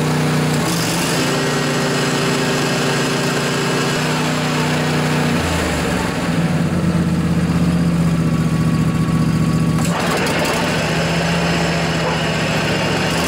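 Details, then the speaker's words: John Deere LA145 riding mower, 48-inch deck, after replacing noisy spindle bearings, blades engaged; steady running, deck spins smoothly without squeal, rumble or grinding, speed changes cleanly; normal. "well I think that was a quite a bit quieter it's now I don't really hear any abnormal noises so I think we're good folks"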